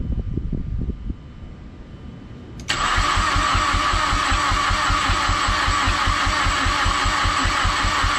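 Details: Mazdaspeed6 with a newly programmed PCM and two keys: steady starter cranking around two and a half beats a second, every few revolutions almost kicking but a half step off; cranks but won't start.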